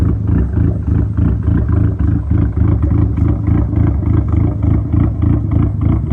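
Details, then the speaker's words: Dodge SRT-4 first idle after big cams, big turbo and much larger injectors on a rough estimated base tune: lumpy, uneven idle pulsing about three times a second with a loping beat; rough idle from untuned fuel map, later adjusted. "So, as you can tell, pretty choppy. He basically did a rough estimate of what he needed to do for the injectors and everything, since the injectors are so much bigger, and he got everything adjusted for it to idle."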